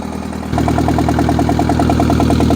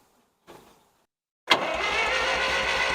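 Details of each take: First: 1963-64 John Deere 1010W tractor, sat 18 years, catches at about half throttle and full choke, settling into an even putter of nine or ten beats a second with no knocks; idling well. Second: 1963-64 John Deere 1010W tractor, sat 18 years, cranks evenly and briskly at nearly four beats a second but never fires; spark plug tester shows no light, no spark, distributor ground wire suspected.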